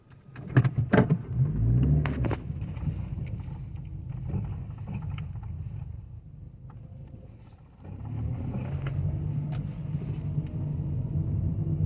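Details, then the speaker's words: 2018 Toyota Etios 1.5 driven through a pothole; quick bursts of loose metallic clunks, then quieter road rumble, like something loose knocking metal on metal, clicking on both sides; front suspension clunk over bumps, cause not yet found. "Parece que tem uma coisa batendo ferro com ferro solto Ó."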